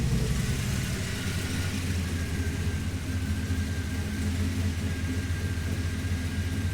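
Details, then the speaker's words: Turbo Dodge Dakota V8 on new Holley EFI after wiring fix: deep steady rumble, even beat, no stumble, now firing cleanly on all eight cylinders and sounding much better. "all right she's back outside hitting on all eight now guys we'll fire up real quick that sounds way better"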